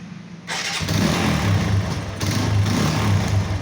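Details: TVS Apache motorcycle, a problem after one to two years: loud, blatty, uneven exhaust beat at idle that sounds like a leaking or loose silencer joint; silencer bolts seize and usually must be cut off with gas welding.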